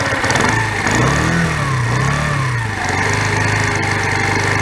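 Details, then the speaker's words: Lexmoto ZSB 125 single-cylinder at idle during an EGR valve blanking test; owner chasing a blown-exhaust-like resonance at 45-55 mph: a rapid puffing chuff on each firing, like a blowing exhaust port. Cause unconfirmed; blanking the EGR brought no improvement. "right we'll start it again very much like a blowing exhaust"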